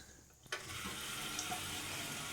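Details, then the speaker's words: Toilet fill valve hisses with a steady rush of water that never shuts off, overflowing and heard as thumping and draining in the suite below; fill assembly needs replacement. "that means that puppy needs an outright replacement of the uh The Fill assembly because it was definitely overflowing I'm not sure why it won't stop like that"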